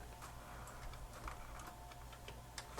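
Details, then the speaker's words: 1988 Yamaha CD-29 CD player, tray won't open, top off; light irregular ticking and clicking over faint hum as drawer hits spindle clamp, mechanism severely out of time, possibly pried open. Tray mechanism out of time. "this is what it was doing previously it looks like it's just severely out of time maybe i don't know somebody tried to pry it open i'm not sure"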